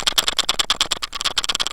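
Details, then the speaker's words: Surfola SF530 action cam used in a side-by-side, shaken by hand: sharp, light clicking rattle about ten ticks a second from loose buttons vibrating in their housing; clear tape over the buttons stops the noise. "okay so one of the problems i have is when i'm running the action cam in my side by side i'm getting this horrible clipping or vibration sound and i figured out what it is it's these buttons these buttons"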